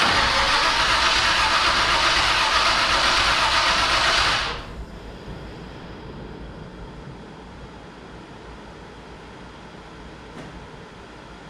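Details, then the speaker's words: 1967 Chevrolet C10 cranked after sitting 10 years: starter spins engine about four seconds with an even beat, about three pulses a second; compression sounds equal, broken rocker arm already replaced. "the starters did so that sounds pretty good everything's rotating good sounded like we had good compression on everything"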